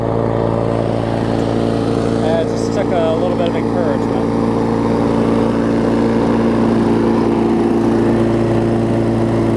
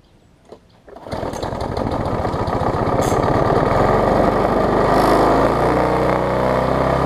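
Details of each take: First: 22-inch push mower, a few years old and a little worn, spring bent slightly to run a touch faster: steady, even drone with a constant low hum, no knocks or surging; normal running. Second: Bolens 21-inch mower, Briggs & Stratton 500 series, built April 2012, bent shaft, governor spring missing: catches and climbs to a high, steady ungoverned scream with buzzy vibration; overspeeding at wide open throttle.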